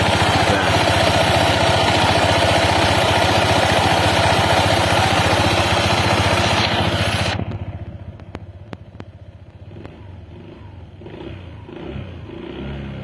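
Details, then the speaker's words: Honda PCX 160 scooter after CVT/front pulley service: steady, even idle, quieter with only faint occasional light ticks; clattering from the CVT largely gone. "Oke kita coba hidupkan oke sekarang udah mendingan suara klotok-klotoknya ya tidak terlalu kedengar seperti tadi"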